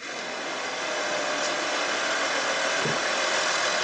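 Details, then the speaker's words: Audi 2.5 TDI Allroad diesel just started after repaired turbo cartridge, variable geometry, oil separator, oil, oil and air filters fitted: steady idle, even clatter, faint hiss, no knocks or surging; to be left idling 10 minutes without throttle for lubrication; sounds healthy. "The first thing to do is start the car without accelerating at all and let it idle for at least 10 minutes, okay? Without accelerating at all so that the turbo doesn't come in, so that everything is properly lubricated, properly."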